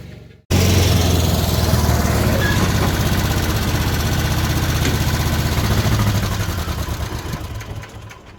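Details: Old tugger work vehicle, sat all winter and wouldn't take gas, after Zenith carburetor rebuilt and cleaned: starts on first catch, steady even low thump about four beats a second, pulls away smoothly; runs good.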